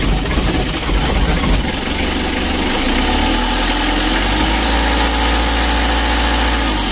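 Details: Mitsubishi L300 diesel idling with a rough, snoring drone over the knock; power also reduced. Attributed to timing belt slap from a slack belt rubbing its cover.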